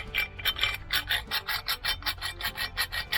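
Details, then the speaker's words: Mobylette/Raleigh AV7 moped engine strip-down, crank main bearing hand-spun near the microphone: gritty rasping grind pulsing several times a second. Bearing rough and worn out, needs replacing. "you hear how rough they are loose so the other one's going to be the same worse yeah not nice at all"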